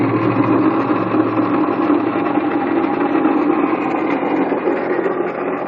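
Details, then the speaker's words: 1997 Honda Accord idling with fast gritty rattle and grinding from front pulley side: bad water pump bearing, pump binding and out of alignment. "So all that rattling you heard, that was that water pump. Water pump. All that rattling and stuff you heard was the water pump. Bearings probably went bad, and that thing is just terrible, man."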